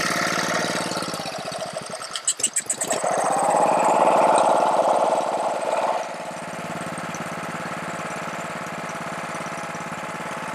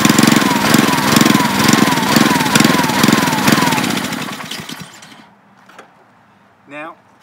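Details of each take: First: Honda-powered Ryobi 3100 PSI, 2.5 GPM pressure washer that won't stay running: the engine catches, surges, then idles steadily only with the choke on. This points to a carburetor fault. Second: Honda-powered Ryobi 3100 PSI, 2.5 GPM pressure washer that would not stay running, started with choke: small single thumps at an even, steady idle for several seconds, with no hunting or stalling, then the sound drops away; fix was a drilled gas-cap vent hole.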